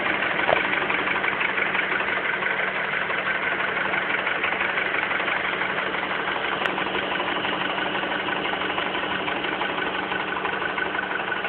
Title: Хонда аккорд стучит двигатель К20